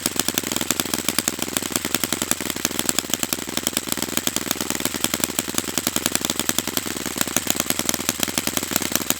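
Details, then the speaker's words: Saito FA-100T twin-cylinder model aircraft engine on a break-in run: fast, crisp, even firing with a steady high-pitched buzz and no misses; normal running. "I'm going to stop the run there just because it's running perfectly."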